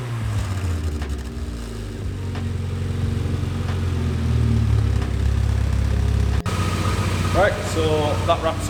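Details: Mazda MX5 build after replacing the gappy old exhaust with a new one: deep even exhaust rumble swells smoothly as throttle opens, no blowing or rattles; exhaust sounds healthy.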